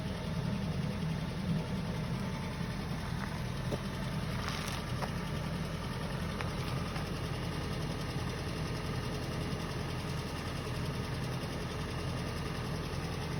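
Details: Suzuki M16A engine knock when cold: steady cold idle with a faint, fast tapping over the low rumble; cause unknown.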